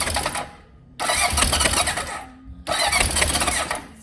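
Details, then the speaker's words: 1978 Honda CB750 after fitting new coil packs: two bursts of cranking that catch and start readily. Spark loss was traced to a connector not plugged in properly; it went from no spark to too much, then settled; normal start. "He's a sparker. So going from no spark to too much spark. And now nice and settled."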